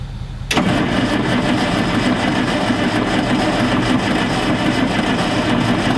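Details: Galion T500 motor grader sat 14+ years, after tightening a loose connection: starter cranks engine steadily for several seconds but it never fires; no start, ether to be tried next; cause unconfirmed.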